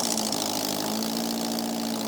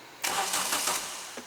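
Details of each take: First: Renault Clio 172 running for the first time in 9 years after an engine install, with no exhaust and no intake system fitted: loud, steady, even idle for six seconds with no misses or stumbles, then a clean shutoff; running fine. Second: Renault Clio 172, first start attempt after engine install following nine years off the road: brief crank under a second, never fires. No fuel delivered; fuel pump dead.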